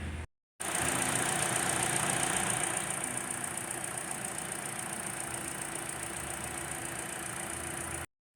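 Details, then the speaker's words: 2018 Kia Forte 2.0L four-cylinder with rough running, rattle and timing-related codes; after repair, freshly restarted. Smooth, even idle with no knock or stumble, and exhaust cam timing is right on target: normal idle. "the exhaust is right on point where it needs to be so looks like this will be good from here on"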